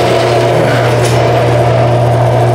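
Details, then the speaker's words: Older Craftsman half-horsepower garage door opener, about 25 years old, after resoldering a cracked joint on the circuit board (had only clicked with blinking LED): steady even motor hum, smooth chain run, track moving, no LED errors. "yeah the track's moving great and look at that no more errors on the led"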